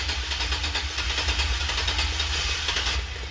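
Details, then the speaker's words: 2005 Chevy Express 4.3-liter that cranks but won't start, after cap, rotor and plug-wire work: fast, steady starter chugging goes on with faint firing attempts and no catch. "now you can see it's trying to start so now if I run the battery out so yeah let's keep going"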